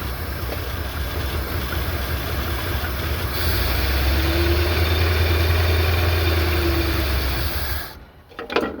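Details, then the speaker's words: 1979 Ford F350 V8 with carburetor, bought long-sitting, first start after priming the carburetor: catches and settles into a steady, even rumble, revs up smoothly on a light rev, then shuts off; runs and sounds good. "okay she revved up a little bit she runs pretty good she sounds pretty good"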